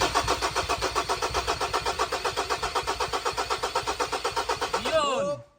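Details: 2018 Ford Everest 2.2 crank no-start: the starter cranks steadily at about four compression beats a second for five seconds, but the engine never catches. Failed crankshaft position sensor.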